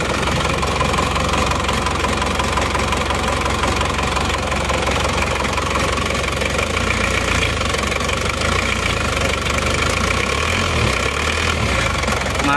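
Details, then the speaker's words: Isuzu Panther Touring diesel, overhauled a year ago but blowing by again; cold idle rough and shaking with heavy hammering knock, loping beat, one cylinder weak; mechanic suspects scored liner. "ada kemungkinan menurut iramanya jadi satu-satu ini ada kemungkinan ini pelindungnya sudah baret ya ini ada kemungkinan linernya sudah baret makanya ini satu silinder seperti kurang ada tenaganya dan pincangan"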